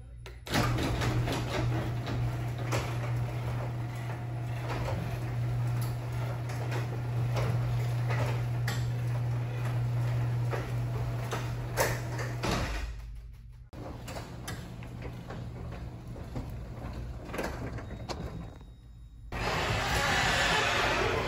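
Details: Garage door after applying Blaster Garage Door Lubricant to spring, track and mechanisms: steady opener hum with soft rolling, previous squeaks and creaks gone.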